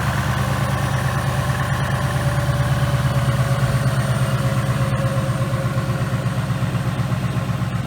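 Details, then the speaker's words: 2018 Mustang GT, first start of new engine on high-zinc break-in oil, with new Mishimoto radiator, warming up: even, rhythmic V8 idle at steady speed, no knocking or ticking; running good. "alright guys we're just gonna let the car run in warm up for a little while she's running good let's get some heat it and see what she sounds like"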